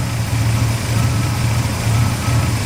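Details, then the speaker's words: "Julie the Dually" truck idling after A/C repairs: even, steady idle with a smooth low drone and no knock, rattle or squeal. The A/C compressor sounds good and blows cool air. "compressor sounds good."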